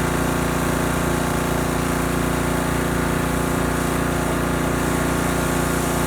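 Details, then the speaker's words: Husky pressure washer repowered with a new Honda GCV190 engine after the original blew from low oil. Constant engine drone with an even pulsing underneath at about two beats a second; the pump sounds a bit noisy, cause unclear. "sounds like the pump is making a little bit of noise you guys will hear that when I turn it on"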